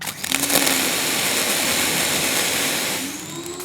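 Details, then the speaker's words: Ryobi 1600 PSI, 1.2 GPM electric pressure washer (RY141612) during nozzle testing: a hissing spray with a thin hum that sags, then climbs and wavers as the pump draws air and loses prime. This is its second priming issue. "I'm getting a priming issue you hear that all right that's the second priming issue I've had and I got it on film"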